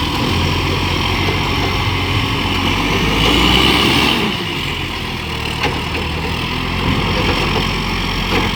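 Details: Euro6 diesel garbage truck idling and working with an exhaust leak: a chuffing puff about three times a second rides on the engine note.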